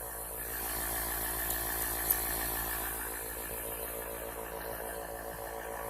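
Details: Small airbrush compressor, awaiting a regulator for 3–5 PSI, running on the bench: very quiet, even hum with a soft fast pulse and no knocks or rattles. It is running smoothly and healthy.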